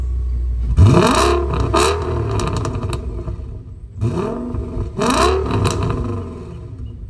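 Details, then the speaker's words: Audi D3 S8 with the V10, after a misfire and oil-leak repair (valve cover gaskets, coil packs, plugs), on a freeway pull: two strong pulls with the note rising smoothly, no misses or knocks, and good throttle response. Normal acceleration. "the throttle response honestly feels so good."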